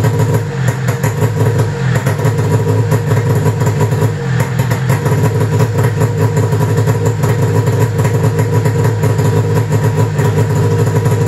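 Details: 1995 Arctic Cat ZR700 carbureted two-stroke snowmobile engine at idle after spark and switch diagnosis: crisp, even idle with a steady buzzing beat, no misses or knocks; pistons worked great, engine running healthy.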